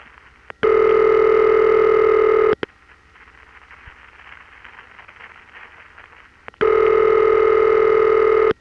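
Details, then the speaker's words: Original ringback of the crossbar 1 office supplying the dial tone, before Lorain Products ringing-machine refurbishing replaced it. A steady buzzy ring, about two seconds on and four off, clean and even; normal ringback. "which is the original ring for the crossbar 1 our dial tone is coming from"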